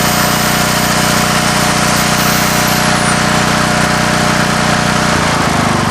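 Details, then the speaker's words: Coleman Vertex 7850 W vertical generator, 15 hp Gentech Pro overhead-valve Briggs & Stratton, electric start, new battery, bought in 2000: loud, steady buzzing drone at constant governed speed, even beat, no misfires or surging; normal running. "It's got the Gentech Pro 15 horsepower overhead valve Briggs & Stratton engine. And it's in great working order."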